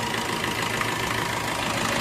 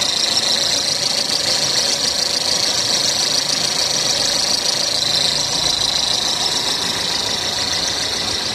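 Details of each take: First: Maruti Ertiga petrol engine idling after bad belt-drive bearings and the belt were replaced: steady even hum, no squeal or chirp, noise gone. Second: Maruti Suzuki Ertiga petrol engine at idle with a steady high-pitched whirring hiss from worn fan belt pulley bearings, before replacing them with new bearings.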